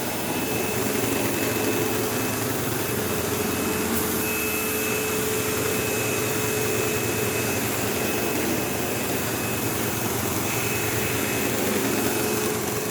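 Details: Sebo Automatic X5 upright vacuum on carpet with a faulty brush roll: loud steady roar with a thin high whine and a bad coarse buzz, plus an occasional squeal like a slipping belt though there is no belt.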